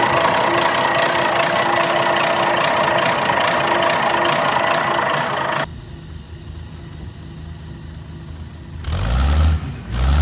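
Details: 60-year-old Clark Michigan 55A wheel loader diesel, started after a fitting was tightened with its O-rings seated to check for leaks. It gives an even, steady clatter at about three beats a second, drops off, then turns over again: a normal idle.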